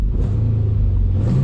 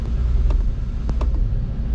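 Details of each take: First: Car after swapping in the throttle body that originally came off this car, which had left it with no throttle: low even rumble at a steady pitch with a slight lift near the end, no stumble; full RPM restored, throttle body was the fault. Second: Engine after replacing a part that had stopped it dying at start: a rough, steady idle with loud hollow suction from the unfiltered intake and sharp clicks. There is no throttle response and no tach; the owner suspects the other throttle body.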